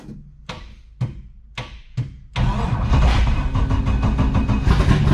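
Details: LS7 V8 in an S14 comp car, sitting about 3 months and being serviced for flex fuel: four slow cranking strokes, then it fires and holds a strong, even idle with no misfire or knock. Sounds like it's running on all 8. Normal start and idle.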